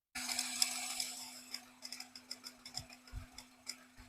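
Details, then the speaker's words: Cold engine, irregular light ticking with no steady rhythm, louder cold and fading when warm; exhaust camshaft wear and excess valve clearance ruled out, owner suspects belt tensioner spring fatigue or power steering pump (pulley runs out of true). "啊，比较明显，冷车比较明显，它，但是呢，它不规律，你就说它的节奏感不强啊"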